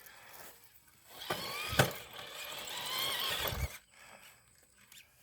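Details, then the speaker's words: TRX4 Blazer RC crawler climbing a hill: a high, wavering squeal rises and falls for a couple of seconds under load; some part needs oiling, and which part is unknown. "all right I could use my winch I didn't need it I don't know which part needs to squeak or oiled"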